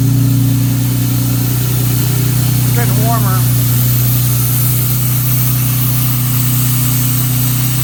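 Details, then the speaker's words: 1957 Jaguar XK150 FHC restoration, first start after rebuilt twin HD6 SU carburetors, starting carb operating, baseline timing and mixture settings: even, steady idle without misses, knocks or hunting; settles and runs smoothly. "Well, how sweet was that? Engine starting run up and running smoothly, and we're only on the baseline setting, so it's going to get a lot better once we get the timing dialed in, get our carburetor mixtures correct."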